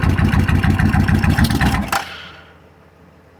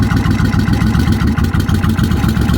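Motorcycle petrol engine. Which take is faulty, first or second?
first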